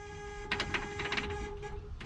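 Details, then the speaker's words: 1968 Chevy Bel Air with small-block V8, sat 8 years, on jump starter: steady key-in warning buzzer with faint clicks while key is at accessory; buzzer working normally. "Let's see if I get that magical key sound, the buzzer, when you turn it on. It's an accessory. Anybody who's driven an old car like this knows what I'm talking about."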